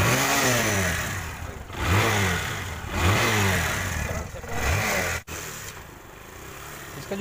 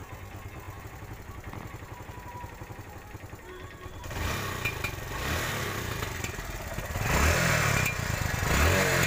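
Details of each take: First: TVS Star City 110cc single-cylinder bike after repair of exhaust popping misfire, air filter lubricated and refitted: revs blipped up and down rise and fall cleanly, no popping or missing. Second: TVS Star City 110cc single-cylinder bike revving: sharp low pops from the exhaust as the throttle snaps and is released, a misfire backfire; spark plug and other checks planned to fix.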